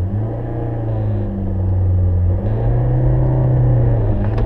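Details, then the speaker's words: Manual-transmission car pulling away with throttle and clutch used together; low engine drone with revs hanging and wavering, no clean bite: clutch slip from slipping the clutch under too much throttle, demonstrated as the wrong way to take off. "you don't want to be using the gas and the clutch at the same time that's called slipping the clutch and when you do it wrong it sounds like this this is what you don't want to"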